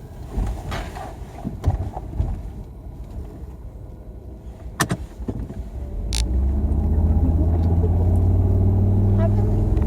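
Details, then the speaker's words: Volvo XC90 T5 five-cylinder at idle, running rough, apparently on 4 of 5 cylinders: a low rumble with a steady lope about four times a second. "Give me a mess to clean up. Not running on all the cylinders."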